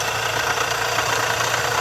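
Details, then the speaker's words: Nissan Versa 3-cylinder, engine also overheating: harsh high rasping whir over quiet idle, a bearing-type noise not from the belt, traced to the worn water pump bearing. "o barulho não é esse da correia não o barulho é como se fosse um barulho de rolamento e o barulho Tá vindo da bomba d'água"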